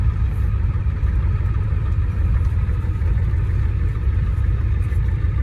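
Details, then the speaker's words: 1989 Ford F-250 with air somewhere in the fuel system: deep diesel idle with an uneven, stumbling beat and no steady rhythm. It runs poorly at idle and the roughness goes away with throttle. "kind of makes it run a little poor, but as soon as I give it some throttle, it kind of goes away."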